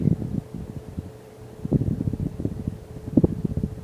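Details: 44" Hampton Bay Clarkston hugger ceiling fan running on high speed: low steady whooshing roar with faint even hum, no ticking or scraping; normal operation.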